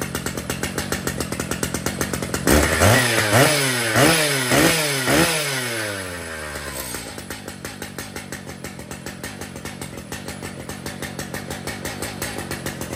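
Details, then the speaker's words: Brand-new Stihl MS 881 chainsaw with 36-inch bar and chain, freshly set up and tuned: several quick clean rev blips, then drops back to steady even idle with no stumbling; normal running. "here's the 881s with their 36 in bars and chains the saws have been tuned and they're ready for pickup"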